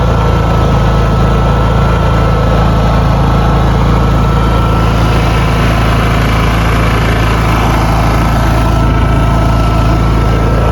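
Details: Honda EU6500is generator on propane via Nashfuel adapter, regulator on tank 12 feet away, non-eco mode, no load: loud steady drone with even low hum, no hunting, surging or misfire; running smoothly at full speed.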